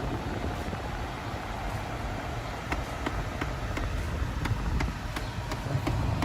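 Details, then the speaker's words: Hyundai ix35: steady sharp clicking about three a second behind the passenger-side dash near the glovebox with recirculation closed, worse at higher fan or driving; silent when off; faulty A/C recirculation servo motor, replaced. "barulho é nítido que vem mais ou menos dessa região aqui ó ó o seu lado direito passageiro próximo aqui é o porta-luvas e quando tá desligado não acontece nada"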